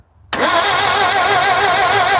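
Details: 1974 Vauxhall Magnum, garage find unstarted for 37 years, old spark plugs and leads giving weak spark: starter whirs and spins the engine briskly with a wavering whine, but it never fires during the short crank.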